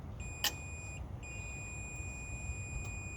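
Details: 1980 Chevrolet C30 dually with 350 small block, multimeter checking battery ground cable to hood, alternator case and core support; steady high beep held continuously, no resistance: good ground connection.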